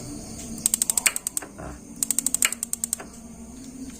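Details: Modena gas water heater after its module was swapped for a universal module and the electrode replaced: two bursts of sharp, rapid clicks, about ten a second, then a soft whoosh as the burner lights. Normal igniter sparking.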